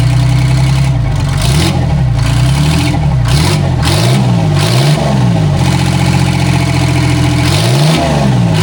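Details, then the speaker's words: Vintage cabover semi with a Detroit Diesel 6-71 two-stroke: catches and revs with an even, crisp bark and no misses or knocks; builds air, Jake brake works, a very healthy-running 6-71. "honestly this is one of the nicest running 671's I've had."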